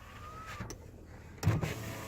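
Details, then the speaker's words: 2005 Dodge Caravan SE wheelchair van with 41k miles, passenger power window: a short, even motor whir with a faint steady tone, then a soft thunk as the glass stops; the window works normally. "Passenger window works."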